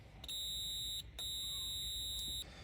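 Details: Tascam 302 double cassette deck with a buzzing fault, multimeter continuity test on a fuse/fusible resistor (F1–F3, FR1): two clean steady high beeps, each about a second, confirming an unbroken connection.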